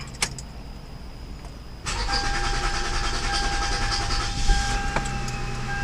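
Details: 2006 Toyota Camry 3.5 2GR-FE, previously cranking with no start from weak fuel pressure, owner suspects the fuel pump; after repair, brief crank, fires straight up and settles into an even idle with a light steady whine and no misses.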